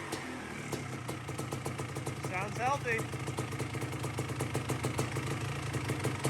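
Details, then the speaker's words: 2005 Kawasaki KX250 two-stroke after rebuild, warm not fully hot, previously would not idle with low compression: crisp steady popping, quick throttle blip, returns to even idle; normal two-stroke running. "oh sounds nice and crisp so it didn't idle before when we took out this solvent i had to keep it going low compression"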